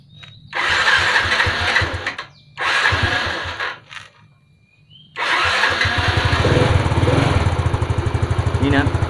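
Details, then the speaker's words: Fuel-injected Yamaha Fino scooter that had sat unused and would not start: a few cranking bursts, then it catches and settles to a steady, even idle once the faulty spark plug cap is bypassed; normal start and idle. "ก็ติดแล้วนะครับก็แสดงว่าชัวร์ๆเลยนะครับตัวนี้นะครับเป็นเจ้าตัวนี้แน่นอนนะครับ"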